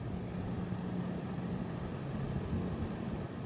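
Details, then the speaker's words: Mr. Cool 36,000 BTU 21 SEER mini-split heat pump condenser at 35°F outside, heating home to 68°F, mic next to unit: about 57 dB, only a low even fan rumble, compressor inaudible, no rattle; normal quiet running. "So about 57 decibels. We can't even hear the compressor running. Basically all we can hear is the fan, and this is right above my office."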